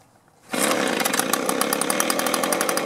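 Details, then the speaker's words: Echo two-stroke blower that started then died, with new spark plug, fuel filter and aftermarket carburettor; debris found gumming the carburettor. After a quiet pull it buzzes at a fast, even idle. Hard starting and stalling from contaminated carburettor. "we got a new spark plug we've got our new carburetor but we had to take it apart and we found debris in there that was gumming that up"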